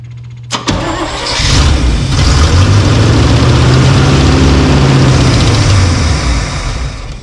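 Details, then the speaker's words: Old snow plow truck 350 Chevy V8 after squirting fuel into carb: cranks briefly, catches, runs steady and even with deep smooth beat, no knocks, sounds pretty good; fuel delivery issue suspected plugged carb filter. "sounds pretty good though I think sound pretty good so 350 Chevy you know"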